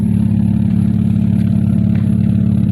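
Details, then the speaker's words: 2001 Hyundai Tiburon at idle after fitting an OBX exhaust with catalytic converters cut off, O2 sensors not yet connected, radiator not yet installed: steady, even low rumble with a smooth regular pulse, no knocks or rattles; really quiet, healthy idle. "definitely heck yeah it is really quiet guys"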